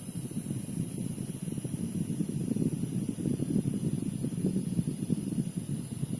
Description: I don't know this is normal or not, because it never making a strange noise before from the nanoe-g ion generator.. and how to solve this buzzing sound?